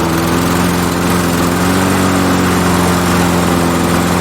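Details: MTD Pro mower with Honda GCV160 engine, test run with brittle, leaking fuel line: loud, steady drone at one even pitch with no surging or sputtering; engine runs smoothly at constant speed.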